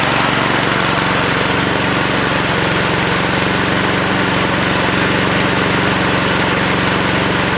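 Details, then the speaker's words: 2014 Husqvarna HU700F self-propelled push mower with Honda GCV160 engine, bought as-is, fresh gas in a previously empty tank, no carb clean: starts right up and holds a steady, constant buzz at working speed with no surging or missing; normal running. "but yeah man it's a Honda starts right up"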